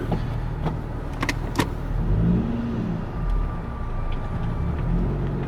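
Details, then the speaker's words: Nissan 350Z drift car on first road test right after fitting new wheels, no camber or alignment changes, driving slowly: a few sharp ticks and a brief scrape over engine and road rumble; source unidentified. "What was that noise? What was that noise?"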